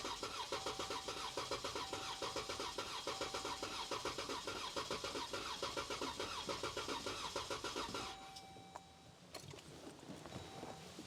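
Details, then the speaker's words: 2015 Jeep Grand Cherokee 3.6L Pentastar V6 after replacing all rocker arms, lifters, plugs, coils and oil filter adapter, cranked with throttle floored to prime oil: eight seconds of fast even cranking without firing; sounds abnormal, cause unclear. "Let's try it again. That didn't sound so hot, so this might be a video on how not to do this."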